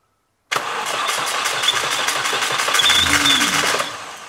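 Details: Mini Cooper S R53 after rebuilt Eaton M45 supercharger refit, first start: engine settles with thin high whistle over idle, seeming to come from the front near the supercharger; suspected air/vacuum leak, unconfirmed.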